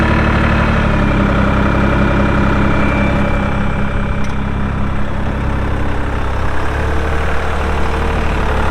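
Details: 2004 AGCO GT45A 4WD tractor, 52 hp diesel, 111 hours: steady, even low diesel clatter at idle with no misses, knocks or hunting; normal healthy diesel idle.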